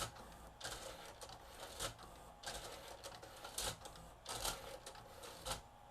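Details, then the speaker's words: Nakamichi MB-3s 7-disc Music Bank CD changer just after AC power-on: quiet irregular clicks and whirring bursts about every two seconds as it checks the magazine for discs, normal behavior. The unit skips in playback; cracked sled gear found. "So, AC power has been applied. It's checking to see if there's any discs in there."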